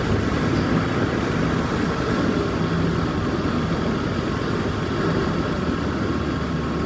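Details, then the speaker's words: 1946 Chevy truck, with fuel lines drained; old straight engine ticking over evenly with a low, steady drone and no misses or knocks; a smooth idle. "Yeah, over here there's some tape left on it from when it was painted, but truck runs smooth."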